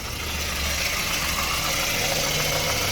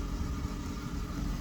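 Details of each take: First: Ford petrol engine after the repair of a high, hunting idle caused by the PCV valve/crankcase ventilation: an even idle with a steady low hum and no surging, running perfectly again. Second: Ford petrol engine with a high idle that keeps rising and falling, mostly around 1200–1500 rpm instead of about 800. Slightly uneven fast idle from a vacuum leak, false air drawn through a cracked crankcase ventilation (PCV) hose.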